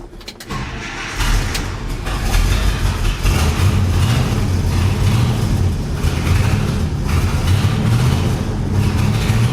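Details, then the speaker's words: 1972 International 1110 with rebuilt Motorcraft carburetor, new gasket, electric fuel pump filling bowls: cranks, catches and settles into lumpy idle; accelerator pump leaks past diaphragm because a stripped bolt won't tighten, likely needs new carburetor. "So as you probably saw there in that clip, this accelerator pump leaks right past the diaphragm because this one bolt is stripped out and will not get any tighter."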